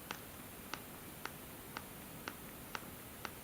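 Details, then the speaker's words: BlackBerry Priv phone's back cover flexes when the device is picked up, giving seven sharp popping clicks about two a second, a build-quality flaw. "sound and every time you pick this device like this you will hear that popping sound that it is just uh so much frustrating for me to use something like that"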